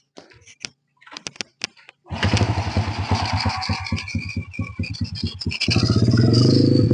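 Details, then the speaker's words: Honda Supra Fit New motorcycle that lost all power on hills, after the stuck choke was returned to open: the engine catches, idles evenly and revs cleanly with a little throttle, no bogging; it runs normally. "mesinnyaesinnya normal kita besarkan dikit gasnya"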